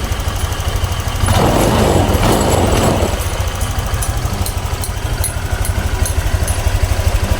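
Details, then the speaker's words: Honda Click 125 V2 scooter after an overall repair, with a replacement cover and a bypass: a one-press start, a brief throttle blip, then a quiet, even, low idle with no knocks or rattles. Normal idle. "Eto na siya, tahimik na siya oh. Yan oh. Yan siya. One click start. Oh, one click start na siya."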